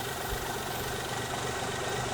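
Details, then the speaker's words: Daewoo Matiz, warmed up, idling before a new idle control valve is fitted. A steady, quiet, low rumble at a low idle with no clear misses. The owner doesn't think any vacuum pipe is leaking. "well i thought it would be a good idea to get her warmed up so we've actually got a benchmark so this is how she's idling at the moment low and a bit"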